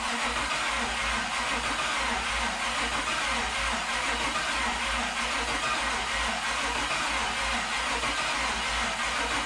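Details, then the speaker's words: 1972 Toyota FJ40 Land Cruiser with swapped-in LS 4.8L V8, first start attempt with PCM hooked up: steady starter cranking, only weak occasional firing pulses, never catches. Only two primaries warm, spark present on other side; stuck fuel injectors, just two cylinders firing. "uh okay guys so obviously didn't start and just looking at it uh i got you know two warm primaries here all the rest cold so it's trying to fire on those two cylinders which is an interesting thing"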